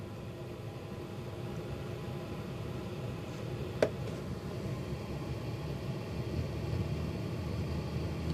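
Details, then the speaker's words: Chinese diesel heater, first working start after fuel pump troubleshooting, fuel pumped to the heater: steady low fan rumble as the fan speeds up, still blowing cold, a sharp tick at ignition, then an even settled hum; firing normally. "just started fans picking up speed still cold air coming out right now and if you can hear that that's ignition"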